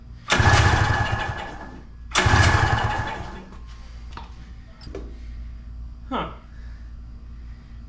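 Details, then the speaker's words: 1982 Honda Odyssey (FL250), long-neglected with a dirty carb, after lots of fuel was poured down the intake: two hard pull-start cranks spin the engine but it never fires. A wet, fouled plug is suspected; a stuck carb needle is also possible. "Could have failed the plug. I did put a lot down that intake. The carb needle could be stuck, but that shouldn't matter. I mean, this is pretty wet. So, yeah, I think that plug's felt."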